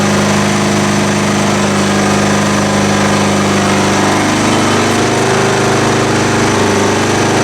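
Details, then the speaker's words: Kawasaki FC420V 14 hp engine on a John Deere GX1320 walk-behind mower, previously non-running, after carburetor cleaning: loud, steady drone at even speed with no misfires or knocking; runs cleanly. "that sounded wonderful i hope i got it on camera"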